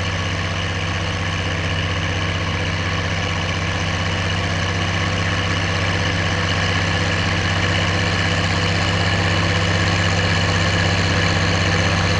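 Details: Oliver 1550 diesel tractor pulling a JD BW disk about 6–8 inches deep, running well once whatever was in the fuel system cleared: steady drone with a constant beat around four per second, no misses or knocks under load.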